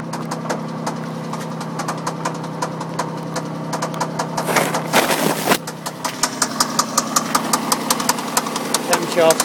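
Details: MG ZT at idle: steady light tick, roughly two or three a second, over the engine, sounding like valvetrain or top end. Engine knocking at idle.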